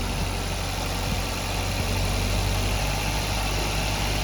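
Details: Maruti Baleno cold start in winter: idle starts high and settles steadily and smoothly with no knocks or grinding, a normal cold idle that returns to normal rpm within one to two minutes.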